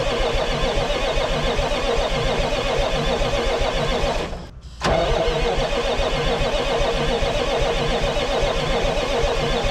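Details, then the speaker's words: 1980s Marmon cabover semi with Big Cam Cummins diesel, unrun about 18 years: loud clatter cuts out briefly, catches again, settles into a steady even idle with firm beat; oil pressure only about 15 psi. "Freaking sick, dude. It runs. Oh my gosh. I love this."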